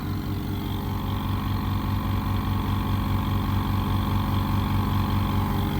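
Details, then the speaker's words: Small 500-watt onboard air compressor in a workshop van, run from an inverter with the van engine off: steady low hum with an even pumping pulse about two per second, no knocks or rattles; not very loud, slow to build pressure, running normally. "As you can see, not mega loud, and it's barely drawing out on that inverter. not the quickest thing to build up"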